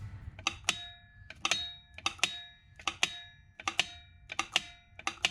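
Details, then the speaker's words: John Deere Z425 zero-turn electric PTO clutch bench-tested with temporary wires to ground and hot: sharp metallic clicks in quick pairs about once a second each time power is touched, clutch pulling in properly; engaging normally. "I hear that PTO clicking loud and clear, so that's a good sign for the PTO."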